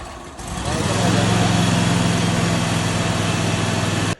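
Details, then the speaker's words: 22 HP lawnmower engine revived after brackish-water flooding: catches after a few sputters blowing debris, then settles into a steady, even low drone without misses or knocks; normal running. "So, she sputtered a couple times, blew a bunch of crap all over the place. So, I got to clean that up. But, uh, sounds like she's going to run, man."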